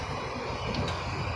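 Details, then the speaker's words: Royal Enfield Classic 350 BS6, idling after the cam pinions/tappets were adjusted: steady low single-cylinder thump, with the earlier tapping noise from the valve train gone. "देखिए दोस्तों हमारा दोनों pinion अब set हो चुका है हम दिखा रहे हैं साउंडलेस चाल भी नहीं हो रहा है यहां जो साउंड हो रहा था ऐसे करने के बाद और साउंड भी नहीं हो रहा है"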